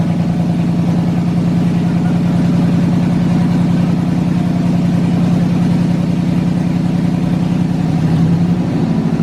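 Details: Chevrolet S10 Blazer with swapped LS V8, first start after wiring and fuel pump priming: deep, steady burble at idle holding even throughout, no misses, knocks or hunting; normal healthy idle.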